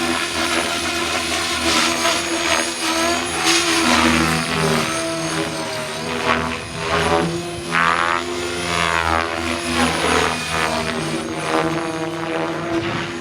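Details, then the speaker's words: Blade Fusion 480 Stretch helicopter with Spektrum 6250HX flybarless controller, during a hard tuning maneuver: steady rotor drone with short pitch swells settling cleanly, no hunting; tail holding well, slight noise heard. "Tail's actually holding up really well. I heard it a little bit."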